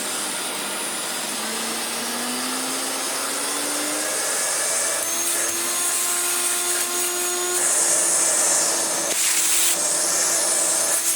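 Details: Hoover Turbomaster Electronic Total System vacuum after restoration, with new motor bearings, new brush roll bearing and cleaned, previously clogged airflow: motor whine rises smoothly, then holds a steady airy roar with no rattle or bearing grind; normal running.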